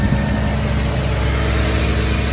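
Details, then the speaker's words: Mazda RX7 FC rotary after replacing cracked air pump bracket, refitting compressor belt and charged battery: steady even low idle, no misses, surges or knocks; previously cutting out, check engine light gone. "all right dang she fired right up yeah that was definitely the issue for sure that not being connected battery's charged up"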